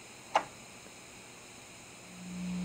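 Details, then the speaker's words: Audio-Technica AT-PL120 turntable with its built-in phono preamp switched on at full volume: a click, then a low steady buzz of mains hum that disappears when the preamp is off; a poor built-in preamp is suspected. "if I turn this on so I turn this on oops you hear a hum you can't really hear it unless it's cranked all the way"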